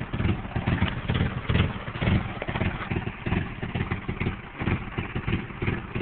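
Uneven, lumpy idle with irregular low thumps and a clattery beat that wanders; the engine isn't firing smoothly. Cause suspected, not confirmed.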